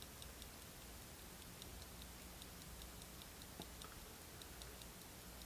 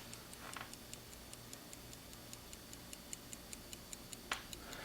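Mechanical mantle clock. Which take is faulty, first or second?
first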